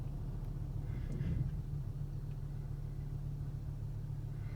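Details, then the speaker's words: Volvo 850 after repair of a vacuum leak, warmed up, rolling slowly into the garage: a steady, low, even hum with no misses; runs much quieter and smoother. "going in the garage the existing is much quieter it runs smooth just hear the engine purr"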